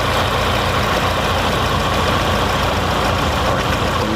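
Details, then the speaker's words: Fiat Palio with GM engine (title says 1.8; 1.6 also mentioned), misfiring with check-engine light after refueling, fuel already replaced; rough uneven idle with steady rumble, misfire on cylinder 2 after plug lead and coil tested fine; injector feed weak, likely failed injector. "Então já identificamos que o problema está no segundo cilindro"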